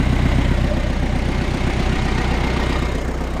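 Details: Diesel ute started cold after the exhaust was refitted (fault first thought to be the turbo), not run for a couple of days, boost reaching 19 psi: even clatter about four beats a second, no hiss or puffing from leaks; healthy idle.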